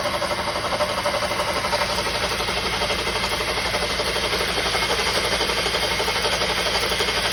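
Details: 2007 Honda CDV 2.2 at steady idle with a loud, quick, even knock about four per second; cause unknown.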